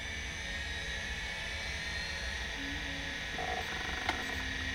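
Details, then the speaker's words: Convergent Technologies AWS hard drive, known-good unit: a faint whine rises as the platters spin up, then a sharp click as the head arm moves. At power-off the head returns to its rest position off the data area. Normal spin-up and seek. "all right so there it is it's moving the head and then we power it off and it goes back into rest position off of The Platters or at least off of the data side of the platters see that right there and that's now it's back to its home position so that's the way these things are supposed to sound"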